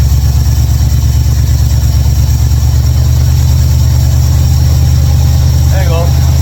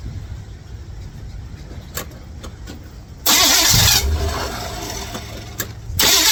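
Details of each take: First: 1955 Chevrolet Bel Air, carbureted, ignition bypassed, after opening the closed air valves that caused stalling and cleaning the carburetor squirters; smooth, settled idle with constant deep rumble, no hunting or popping. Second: 1955 Chevrolet Bel Air, carbureted, started via bypass ignition switch wired to battery positive: quiet clicks then steady cranking that never fires; switch found good, engine not getting gas; crank no start from fuel starvation.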